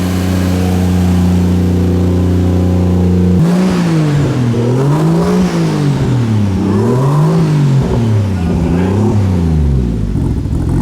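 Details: 2JZ inline-six swapped into a Nissan 240SX, started after the problem was fixed: a smooth idle, then clean repeated blips with pitch rising and falling evenly. Revs freely with no misfire or knock; normal revving.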